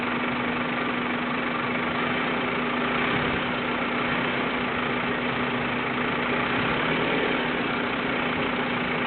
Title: hissing vacuum leak at idle, louder with open throttle